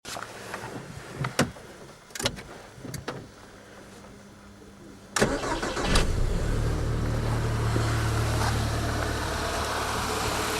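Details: ZAZ Forza, 2,500 km, fresh 5W-40 synthetic oil: engine starts and idles with fast light ticking, three to four per second, under the hood; persists when warm, vanishes briefly on throttle blip; owner suspects hydraulic lifters or injectors, later traces it to an ancillary unit, not the engine.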